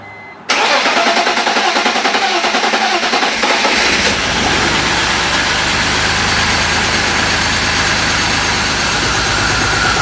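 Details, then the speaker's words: BMW E46 at 200,000 miles, first start after months parked and many repairs (oil pan, valve cover, CCV, injector seals); catches then idles uneven and slightly lumpy, misfiring on cylinders 1 and 2. "It still had a little bit of a misfire. It misfired on cylinder 3, then it just cleared out, and then I cleared the codes and it ran fine."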